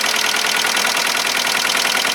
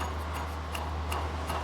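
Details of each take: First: VW Golf 1.4 petrol four-cylinder at its first start after a timing belt replacement: steady, even, quick idle with no banging, knocking or blue smoke; it runs normally. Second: Volkswagen Golf 1.4 petrol, old water pump spun by hand during a timing belt change: gritty tick about three times a second over distant traffic, rough with some shaft play; worn bearing, pump being replaced.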